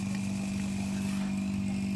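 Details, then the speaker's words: AC vacuum pump after about 12 minutes of evacuating an empty system, valves fully open, manifold gauge at -30: steady even hum, constant low tone, no gurgling or labouring, running very smooth at deep vacuum. "Ini sudah sekitar 12-an menit ya, dan mesin vakum suaranya sudah halus banget."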